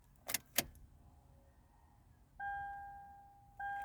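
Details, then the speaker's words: 2012 Toyota 4Runner that cranks but won't start, key turned on in a quiet cab. A couple of key jingles, then only the dash chime and no fuel pump whir, so the pump is not priming. No fuel reaches the injectors; the cause is suspected as the fuel pump or the MAP sensor, not confirmed. "Nothing. No priming on the fuel pump. So, we're missing gas."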